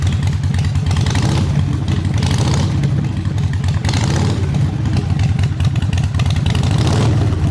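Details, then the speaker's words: Harley Sportster V-twin, first start after fuel issue fixed and jump box used: deep, steady loping potato-potato idle, no misses or rattles, throttle responsive; normal idle. "we got the potato potato potato sounds good throttle works"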